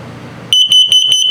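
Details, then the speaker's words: 2023 Flagstaff 176LTD tent camper, LP gas/carbon monoxide detector test cycle: four quick, sharp, high-pitched beeps in a tight group, the carbon monoxide alarm pattern, following the LP gas test. "I'll let you hear it. LP is good, carbon monoxide coming"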